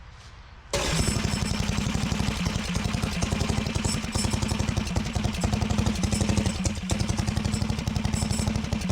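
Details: Harbor Freight Predator 420cc built engine on 2WD Coleman minibike, cold rainy day: fast single-cylinder beat with loose tinny clatter on every firing pulse; recoil starter walking its way out.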